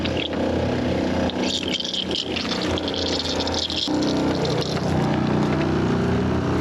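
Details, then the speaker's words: RV being winterized, water pump drawing antifreeze while faucets inside open and close: steady motor hum under splashing liquid, firming once it primes and draws; pump working normally. "when you hear that pump shut off that's she opens it the pump turns on she closes the"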